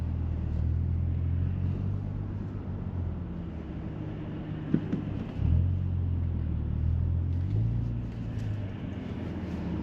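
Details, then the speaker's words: Audi S4 with custom X-pipe and resonator delete, cabin audio while cruising with exhaust valve on bypass: deep, steady boom swelling with throttle; exhaust drone worse than before the resonator delete. "on bypass it's just booming it's just deep [Music] sounding go sounds mint but it's just it's very Bo boomy inside here"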